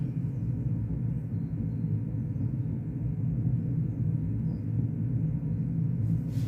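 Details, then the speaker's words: 1990s Vox AC30/6TBX valve amp with serious noise issues, brilliant channel: loud continuous low rumble with humming, no highs, steady throughout; suspected failing tube or resistor, not yet confirmed. "Yes, there's a bit of rumbling there as well."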